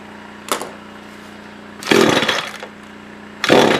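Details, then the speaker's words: SRM-210 trimmer after carb replacement, during main/idle screw adjustment: low, weak idle broken by short ragged rev bursts that sag back; owner thinks fuel level is below the fuel filter, causing fuel starvation. "ah we're running out of fuel i know what it is i think the fuel is lower than the fuel filter"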